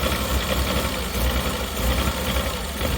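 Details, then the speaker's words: Mazda Bongo camper van just started, idling without revving, with a lumpy, uneven idle and deep irregular throb like a cylinder dropping out; engine misfire at idle, trying to stall. "There we go, you can hear the misfire right now without even revving it."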